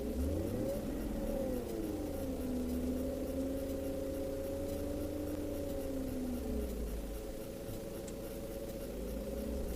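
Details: 1999-2001 BMW E38 with AC on: steady tonal whine over the engine rising and falling with rpm, gone with AC off; compressor lacks oil, bearing fine; fix is to evacuate, add 10 g oil, recharge 700 g.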